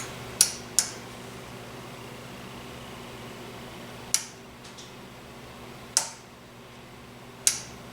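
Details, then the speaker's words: Lamp with a General Electric 2D 3-way compact fluorescent bulb: about six sharp, uneven clicks over a quiet room as the worn switch sparks inside. It can no longer reach position 3; the switch, not the bulb, is the fault and will be replaced. Switch clicking and arcing. "Yeah, the switch is definitely shot. I can hear it sparking in there."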